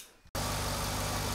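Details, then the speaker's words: Mercedes SL55 AMG M113K supercharged engine after supercharger pulley bearing replacement, first fire-up: smooth even idle, much quieter, no more rattle from the supercharger drive; normal idle. "wow it is so much more quieter look at that bad girl just spin in her little hearty away it sounds so much better"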